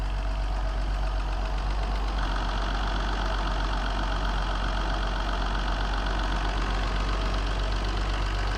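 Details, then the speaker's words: Classic Mercedes running on its own for the first time in over five years, after a secondhand fuel pump was fitted, initially flooded by oil put in the cylinders: smooth, steady low idle with no stumbles, surging or odd noises. "and she's running boys under her own power classic mercedes which she's not been running for more than five years she's all good now"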